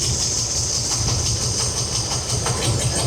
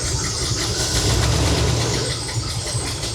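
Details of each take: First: Chevy C20 V8 with a rebuilt Holley carb, apparently a 750, idle mixture set with a vacuum gauge to peak vacuum, reading in the green: a steady, throbbing, even idle with a hiss on top; a normal, correctly set idle. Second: Chevy C20 with a rebuilt Holley 750 carb, new jets, choke fully off: a light, quick tick-tick-tick over a lumpy, angry-sounding idle; owner suspects some valves need adjustment.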